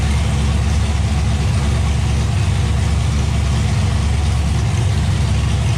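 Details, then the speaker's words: LS-swapped car with TIC Performance stage 2 turbo cam, open headers with exhaust off, started before clutch/transmission install to check rear main seal: deep loud rumble, about three pulses a second with gentle uneven lope, no knocks; normal idle with cam lope. "is a tic performance stage 2 turbo cam which as you can hear with the exhaust off it sounds pretty low P you can hear that as a cam"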